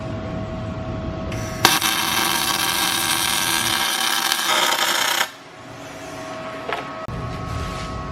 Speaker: You guys hear that crisp sound of the welder, like bacon frying? That's how you know that's a good welder and it's on the proper setting.